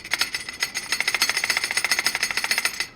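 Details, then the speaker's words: Ducati Desmosedici RR engine during rebuild, clutch opened; bright, light metallic chatter at about three to four rattles a second from dry clutch plates sitting loose in the basket, the normal source of the rattle. "if you've ever wondered where that rattling noise comes from here it is look it's just the sound of the clutch plates sitting in the basket in there but they're dry so they make this noise"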